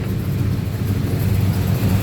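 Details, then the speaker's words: Holden HQ four-door with a small-block Chevy V8 after the fuelling fix with a different carburettor; deep, even rumble, running rich at idle since covering the intake doesn't drop the rpm, no stumbles or missed beats. Normal idle. "much better I know is running um nice and Rich at idle because if I cover the intake the engine RPM is not dropping"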